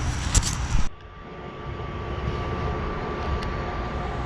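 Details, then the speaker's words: 1996 Oldsmobile Aurora after the shorting alternator and the battery were replaced and the AC condenser was changed: some handling clatter, then a smooth, steady low hum with no knocks or misses; normal idle. "Got the Aurora running. As you can hear, she's running. Everything's good."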